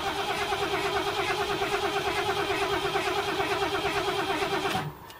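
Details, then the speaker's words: 1978 Ford LTD, warm, restarting after brief stop with LPG turned off: even strong cranking about three turns a second without firing; starter fine, earlier trouble thought to be battery; normal starter cranking. "Yeah, starter sounds fine."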